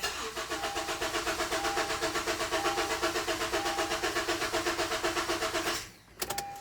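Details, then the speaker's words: 2012 Honda CR-V 2.4 K24 engine cranked with injector connectors unplugged to build oil pressure after timing kit replacement for VTC start-up rattle and valve adjustment; even, clean cranking about four beats a second, no rattle, engine turns over normally. "we're just going to give it a good crank to build up oil pressure make sure the engine's okay with our timing"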